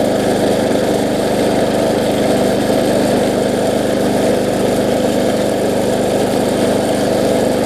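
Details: Bolens self-propelled mower after regapping the ignition coil, which sat too far from the flywheel and gave no spark. It starts on the first pull and the single-cylinder runs at a smooth, even speed with no misses or surging; normal running.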